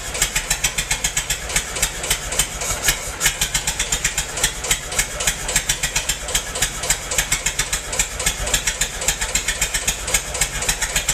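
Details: Massey-Harris 44 tractor stored about 10 years, new points: loping, uneven idle with irregular sharp pops three to four a second; cylinders 2 and 3 not firing, owner suspected stuck valves, plugs or wires; a stuck intake valve was found.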